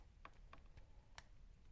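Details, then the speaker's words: Triumph TR8 steering lock and ignition barrel, stiff and sticky, being loosened with graphite powder: light uneven clicks as key worked back and forth; lock pin pops out faster than before but still delayed. "mechanism is actually popping out much more quickly as well, but it's still got some delay."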